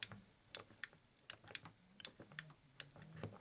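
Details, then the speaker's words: Arcade1up Galaga joystick after a simple contact-bending repair, machine running: crisp, sharp clicks two or three a second as the stick moves, the microswitch now making clean contact every time. "normally you can hear the click that click lets you know it's making contact but when it rides up it doesn't now listen"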